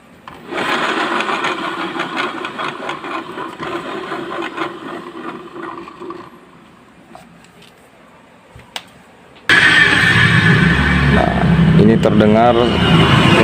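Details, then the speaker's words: Yamaha Mio J scooter CVT after replacing the rear pulley bearings, which had sounded very coarse and gritty before: even smooth whir with no grinding, then it tapers off; smooth CVT running. "Jadi, suaranya ini sedikit lebih halus, ya."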